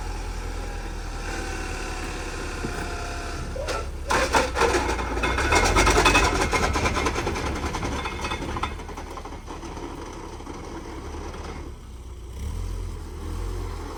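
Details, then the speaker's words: 2006 Subaru Forester with rebuilt engine: revving in drive, engine rises and settles with a harsh rattle like rocks in the transmission pan; car won't move in drive, reverse works; transmission fault suspected. "I tried putting it in gear and it like didn't move. It just revved up and it sounds like there's a bag of rocks inside the transmission pan."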